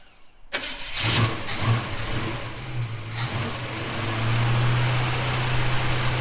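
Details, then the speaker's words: Holden HK, first start after filling radiator: starter catches quickly, brief rev, then settles into a steady, even idle; starts and runs cleanly, though a welsh plug leaks on one side. "She'll either blow up or she won't. Well, she ran. Well, she ran."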